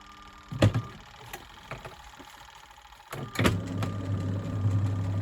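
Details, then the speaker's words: Good Ideas XPB20-88S twin tub spin side: clunks, then a steady low hum with no drum spin-up; motor powered but stalled, owner suspects the capacitor or a seizure. "sounds like the motor is on but the capacitor is not not working so it won't go and I can't get into it might be seized"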